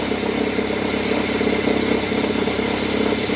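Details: Accessory belt tensioner rattles at idle, an uneven flutter about twice a second over the engine note, and its movement grows when the automatic is put in drive or reverse; the worn tensioner was replaced, which fixed the noise.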